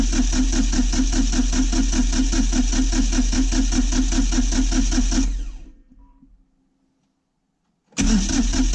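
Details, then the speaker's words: Kioti CK20HS diesel tractor after glow plug warm-up: steady, even cranking for about five seconds never catches, then stops and cranks again. Owner suspects lost fuel prime or fuel bleeding back after sitting, with air in the lines, and cracks injectors to purge it. "I'm going to crack the injectors and see if we're getting any flow. Push the air out of the system."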